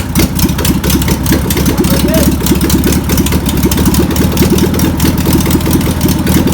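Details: VW pressed-bumper-panel bus air-cooled engine, sitting over 50 years, runs on its own after penetrating spray and fuel are added: a busy, clattery idle with a steady rapid beat and tappety ticking. Owner suspects a bad fuel pump. Deemed a runner.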